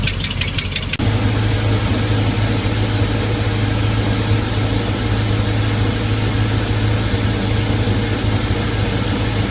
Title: DIY MerCruiser 5.0L mpi 260HP ticking sound, starboard side leaking exhaust manifold gasket